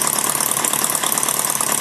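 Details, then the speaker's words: Maier TA4 model engine after a tune-up, warm and under light flywheel load: a quick, even buzzing beat with no misses or stumbles; all cylinders are firing. "it actually runs a little smoother once it warms up with a little bit of load on the flywheel yeah they're all getting pretty warm now"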